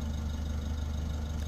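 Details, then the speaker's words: 2024 Mitsubishi L300FB Euro4 diesel at idle, tested again after the exhaust tail pipe tip was trimmed and refitted without its screen: smooth deep low drone at the tailpipe, no rattle or buzz, original sound restored, no more noise; normal exhaust idle. "Okay, so na-testing na po natin ulit, and ganda na po ng tunog. Original sound na po, wala nang maingay."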